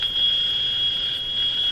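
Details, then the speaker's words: General Electric CL541A ship radio receiver, local oscillator disabled, IF signal fed in, antenna connected: steady high-pitched persistent tone regardless of tuning; suspected strong interference signal near the IF frequency in the shop. "A persistent tone. So that persistent tone could be due to a powerful interference signal right near the IF frequency."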